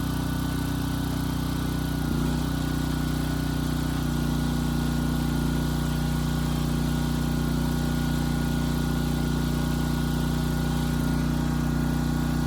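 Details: Briggs & Stratton Elite Series generator (model 030471-01) after repositioning the oversensitive governor spring and backing off the speed adjustment screw: smooth constant drone with no pitch rise and fall; hunting and surging gone.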